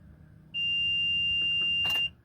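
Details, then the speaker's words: 2004 Itasca Suncruiser RV, fuel-injected, about 90-96K miles. Key cycled to on without cranking to prime the fuel pump after a fuel filter replacement; a single steady high-pitched beep of about 1.5 seconds, the normal key-on chime while the pump primes. "but i want to do is i want to turn the key forward not trying to start it but to the accessory"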